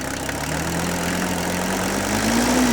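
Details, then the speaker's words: Mercedes W126 300SD replacement diesel engine of unknown mileage, running after about 10 years sitting, no air cleaner fitted: uneven diesel clatter with wavering low drone at idle, pitch drifting up slightly; still idling rough. "now you can see right here still running a little rough but we might be able to get this engine to smooth out a little bit with a little bit of running here"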